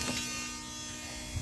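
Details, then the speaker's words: BMW E39 525d (163 hp) diesel, key turned on: steady electric buzz from the auxiliary fuel pump priming and bleeding the system, running normally; it stops after a while, and the car starts immediately. "Da, făcea zgomotul ăsta când întorceai cheia. Ce vrei să spui? Că nu se aude din interior pentru că e foarte bine izolată."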